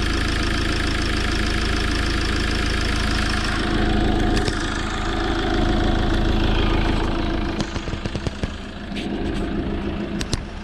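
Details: 2007 Fiat Ducato 2.3 Multijet diesel (F1AE0481D), 304,000 km, timing kit replaced: starts and rattles evenly at idle with steady low rumble, no vibration, zero smoke, then clicks and handling noises; normal start.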